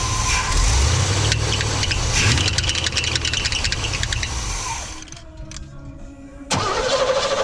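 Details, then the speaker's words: 1988 Cadillac, unrun for 16 years, just after carb kit and vacuum line replacement: catches and settles into an uneven, hunting idle, better than before; leftover vacuum trouble suspected, not confirmed. "okay so day one was not as successful as i wanted it is idling a lot better and all the vacuum"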